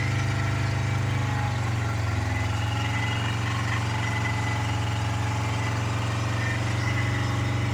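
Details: 2010 Chevy Colorado, original engine with a bad oil leak, smoking from the tailpipe, held wide open: a heavy, steady drone that never climbs in revs, like a tired worn engine struggling, then it dies; owner suspects the rings are toast.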